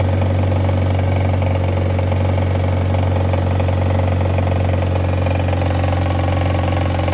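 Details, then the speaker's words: Mazda Miata, automatic, after crank saver install and bolt re-tightened: steady idle with a loose, uneven rattle from the front of the engine; owner suspects something left untightened, since it didn't knock before, and the crank pulley still wobbles slightly; cause unconfirmed. "so I don't know and I didn't tight something's rattling I didn't tighten something cuz it didn't have the like knock before so we'll figure it out"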